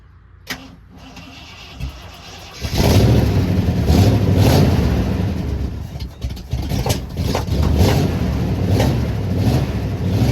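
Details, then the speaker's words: 1979 Jeep J20, original AMC engine with dual exhaust, low compression, fed from a small fuel can: cranks and catches, then a lumpy, uneven, loping idle, running like crap with a misfire from weak compression in some cylinders. "I really love how it sounds with the dual exhaust other than it running like crap as you can probably hear"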